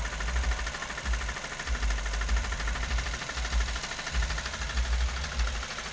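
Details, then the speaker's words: Toyota Avanza (older, pre-all-new) with rough, diesel-like engine noise: hollow low knocking under two per second over a rough idle, loud at the side of the engine; piston slap, engine must be disassembled. "jadi eh keputusan terakhir harus bongkar mesin ya Bang ya newsmaker mesin nih ngeflek Iya suaranya keras benar disampingnya soalnya"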